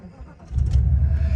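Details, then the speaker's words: 1989 Mercedes 560SEL with power loss above 1800 rpm from suspected vacuum leak, oxygen sensor disconnected: brief crank, catches cleanly, settles into smooth, steady low idle with no misses; starts and idles normally. "so we can see that the car itself starts and idle's okay with no issues"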